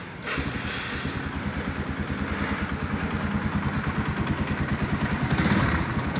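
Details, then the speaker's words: Yamaha Scorpio 225 single-cylinder at idle, rough with a dull knock on every beat from around the cylinder block; diagnosed as worn, loose piston (piston slap). "coba kawan-kawan dengan di sini ada suara ketukan ya disekitar bloknya ya block silinder untuk tumbuhan sementara ini suara pistonnya ya sudah oblak"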